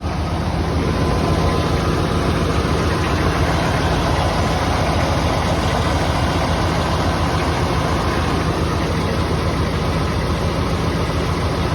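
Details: Chevy 7.4 Vortec V8 idling cold with a deep, steady rumble and a quick knock running through it; owner asks whether it is piston slap or bearing knock.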